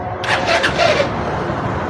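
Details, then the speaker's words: Bajaj BS6 bike that would not self-start, kick-start, run the fuel pump or ignition; a cut main-line wire from the fuse was joined and the relays reconnected. After repair: short crank, catches at once and settles into a steady, healthy single-cylinder idle. "Start ஆகுது இது வந்து ஒரு சிம்பிளா ஒரே ஒரு வயர்தான் cut ஆயிருந்துச்சு"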